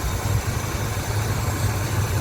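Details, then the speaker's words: 1971 El Camino 402 big block V8, new 650 double-pumper carb, new plugs and wires, started slightly on choke: deep, even burble settling to a smooth idle, no misses or knocks, no longer smoking; normal idle. "Fires right up. She runs good and then oh back here you can actually hear it's got the paw sound."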